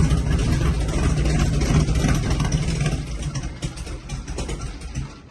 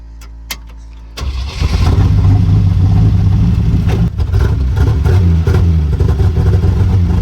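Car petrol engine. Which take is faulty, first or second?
second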